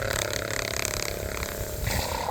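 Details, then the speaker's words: 110V RV fresh water booster pump drawing from a swimming pool hose, left to suck the last water from the hoses: rough gurgling churn turning hollow and louder as it sucks air and runs dry. "I'm going to let it suck dry for a little bit here's here's the hose that was in the swimming pool"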